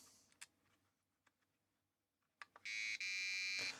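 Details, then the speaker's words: 4116 DRAM chip from a Sinclair ZX Spectrum 48k Issue 6A, retested after a chip was powered in the board without correct voltages. A few clicks, then a steady high-pitched fail beep of about a second: this chip is dead, killed in the board. "okay that one's dead yeah we killed one I've not had that happen before"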